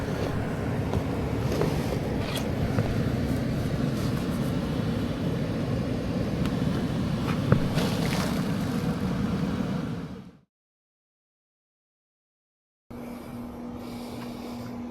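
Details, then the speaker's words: Furnace blower after repairing low-voltage short that kept blowing fuse, thermostat calling for cooling at 70 with room 75: even rushing airflow steady about ten seconds, no knocks, rattles or squeal; blower running normally. "Going to put the call for cool. Drop it down to 70. It's about 75 in here. Hear the blower activated."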